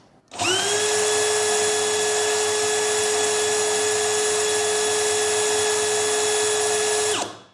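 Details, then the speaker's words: DeWALT DCD999N cordless brushless hammer drill at no load in speed 1, measured about 498–500 rpm: a clean, steady mid-pitched whine that spins up quickly, holds, and winds down smoothly. Normal no-load run. "ya di 498-500 mantap untuk rpm nya"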